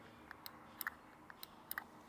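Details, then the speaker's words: Audi 90 B2 with 2.1 KG turbo engine from a 1984 Audi 200, single throttle body with one valve, throttle worked by hand next to the mic in a quiet room: crisp light clicks in quick pairs; normal throttle switch click. "Yeah, on the KG block, it's just the 1 throttle body with the 1 valve. And you can hear it click."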